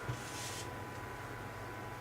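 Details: PC case fans on a Phobya splitter stuck at 100%: steady loud airy whoosh and low hum with no speed change; owner unsure the power/PWM splitter wiring is right, while the exhaust fan on the motherboard runs normally.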